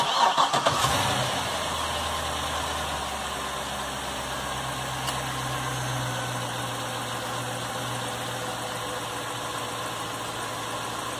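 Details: Chevrolet Corvette C6 after rough-idle repair (ignition parts replaced, connector and spark plug wire reconnected): cranks briefly, catches cleanly and settles into a steady, even idle with no misses; running normally.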